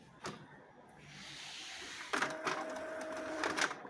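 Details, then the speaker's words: Epson L3110 inkjet printer after replacing two worn paper-pickup rollers: smooth soft whir, quick light clicks and steady motor tone; earlier noise while pulling paper gone, paper now feeds normally. "นี่ครับผมเสียงดังหายไปแล้วนะครับแล้วก็ดึงกระดาษลงได้ปกติแล้วนะครับ"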